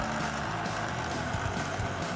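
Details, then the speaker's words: Older laptop booting to recovery: constant heavy rushing roar, far too loud, fan still blowing air but sounds like it will explode; owner unsure whether something is caught in it or it's broken, wants it checked. "I don't want this computer to be on that long if Fan's going to do that I need to have it looked at I mean it's still blowing out air though but it sounds like it's going to explode"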